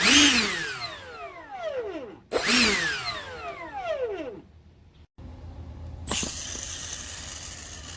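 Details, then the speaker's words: E-flite A10 64mm ducted fan motor, suspected bad over a noise issue: clean high whine spooling up and winding down smoothly, no rattle or grit; motor sounds good. "Suspected bad. Sounds like a good motor."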